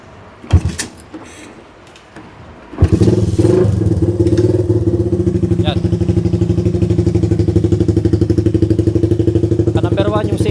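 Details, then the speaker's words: Suzuki Raider 150 after installing a budget racing CDI with 9 mappings, tested on map 1; engine catches after brief crank then pulls steady and even with no stutter or cut-outs as it revs: smooth revving, no rev-limiter cut. "Ayan, wala nang putol-putol yan. Dire-diretso na tayo."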